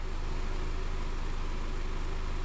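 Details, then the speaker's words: Engine started one week after being washed, warmed up: very quiet, smooth low hum with an even beat and no ticking or knocking; it runs as well as before the wash. Normal warm idle. "I'm going to start the car and I have experienced zero nothing no problems no nothing whatsoever it's still running just as good as it did before I washed the engine"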